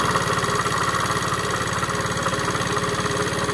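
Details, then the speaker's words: Long-neglected Tao Tao scooter at its first start after years sitting, smoking: a rough, rattly idle with lifter/rocker tapping and a dull knock in time with the engine, suspected con-rod knock on the crank; unconfirmed. "there's a distinct sound right inside the engine that sounds like it's knocking sounds like the connecting riders knocking on the crank"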